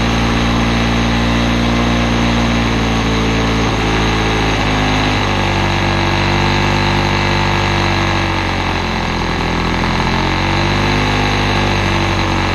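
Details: Old Lawn-Boy two-stroke self-propelled mower on mixed gas, air filter missing, mowing short grass: a steady drone whose pitch sags and surges every few seconds; running rough and hunting under load.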